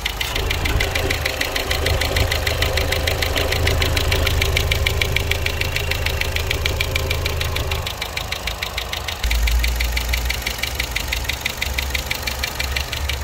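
A sharp, steady tick, about three a second, rides over a smooth idle and comes from the top of the engine.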